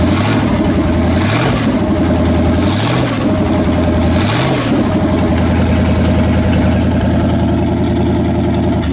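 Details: Pontiac 400 V8 after camshaft/lifter/bearing failure rebuild, breaking in again on a homemade engine run stand with choke set: deep, even idle with three clean rev blips settling back down; runs smooth, behaving itself, only valve cover oil leaks noted.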